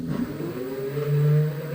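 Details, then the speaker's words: E-bike motor on bench with newly wired controller and display, switched to mode 1 before pedal sensor fitted: smooth even whir, low hum climbing slightly as it spins up, no knocks or grinding; works. "Vous entendez que le moteur tourne. Je vais même vous le faire voir."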